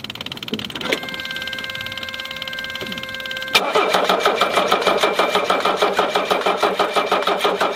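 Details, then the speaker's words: 1981 Mercedes-Benz 300SD with OM617 diesel, towed in after losing power and dying: dash chime, then starter cranks steadily about three turns per second without a single firing cough; crank, no start, cause unknown. "Alors comme vous avez vu, donc voilà, hein, donc il ne démarre absolument pas. Pourquoi? Je sais pas, hein, je sais vraiment pas."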